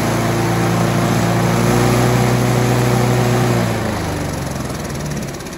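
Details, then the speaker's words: Scott Bonnar alloy mower with a Briggs & Stratton 4-stroke after a governor spring swap: it holds a strong steady speed, then drops back smoothly to idle without hunting or surging; governor working normally. "swapping that Gardener Springer has made a huge difference when you start up the lawnmower you can see that butterfly is actually working as the engine revs up you can see the engine is trying to govern it back"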